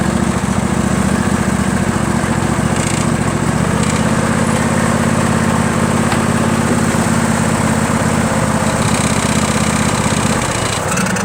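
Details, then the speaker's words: John Deere L118 mower cold start on old carburetor before replacement; rough, uneven putter on choke from a faulty carburetor, only runs with choke on; new carburetor expected to fix. "It's really something messed up with this carburetor. So really the only way to make this run with this particular carburetor is to keep that choke on, which is not good for the engine."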